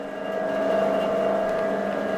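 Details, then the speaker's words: Axminster Craft AC2606B bandsaw running with no cut just after assembly, calibration, guide tightening top and bottom, and levelling: smooth, even motor hum with no knocks, rubbing or noises, blade tracking well; normal running. "What do you think of that? That's absolutely gorgeous, beautifully smooth, no noises, all tracking"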